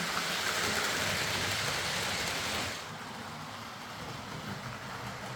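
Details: Hornby R.372 Class A4 "Seagull" model locomotive, tender drive, running after repair: even, fast whirr with soft regular tick about three a second, settling quieter. Stop-start running was likely from excess axle oil spoiling pickup; the mystery noise was traced to the valve-gear parts. Runs fine and quiet.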